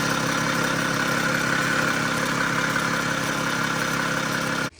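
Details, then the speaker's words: Mercedes E320 CDI turbo diesel at idle, engine cover, air filter and turbo inlet removed, only issue an oil pan gasket leak: steady, even clatter with no stumble or misfire, then clean shutdown; engine in very good shape. "so the engine is in very good shape there's no misfire is no issues"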